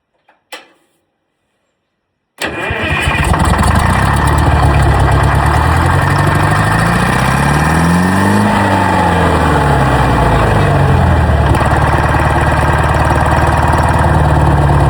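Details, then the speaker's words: Old Detroit diesel on a rock crusher plant, first start in about 3.5–4 years after starter rebuild: silence, catches at once, revs high as if about to run away, then settles into a strong steady idle. "Woo. That was going to run away on me there. Fired right up. I thought it was going to run away for a second."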